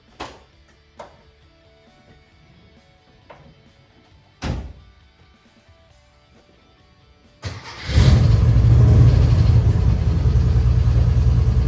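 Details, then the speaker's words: 1952 VW Split Zwitter bus with newly fitted 1904cc stroker engine (74mm crank, 90.5mm pistons, up from 1641cc), valve adjustment still pending: after a few quiet clicks it catches at once and settles into a strong, even idle with no misses; very smooth, healthy. "Yeah, I'm gonna tell you, I'm not gonna say I've never, because I've felt it, but that engine is smooth. Oh my goodness, it's smooth."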